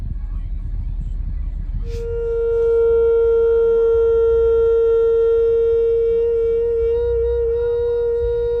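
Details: 2019 Ram 1500 Bighorn idling when stopped in drive or park: a steady mid-pitched drone starts and holds over the rumble, caused by a sticking-open A/C valve; pressing the A/C button temporarily stops it.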